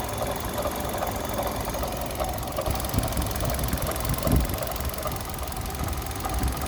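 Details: Kia Rio 3 engine knock: uneven dull knocks over a rough idle hum, louder around the middle; knock from inside the engine, cause not yet known.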